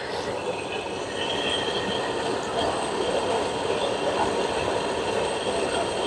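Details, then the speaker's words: Whirlpool stacked washer agitating after replacing direct-drive transmission that leaked oil from a bad seal; soft steady agitation hum, faint whir, no knocking or grinding; new transmission quiet, no oil drip. "Ooh, hear that? That's quiet. That's the sound of a brand new transmission. Nice and quiet."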